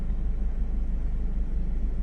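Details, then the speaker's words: Toyota MR2 at idle after replacing the right-hand passenger engine mount, with the left mount not yet replaced. A low, steady idle hum with a soft, even rumble and no clunks; vibration is now minimal compared with before. "All right, look at this. Not no vibrations. So quiet compared to what it was before."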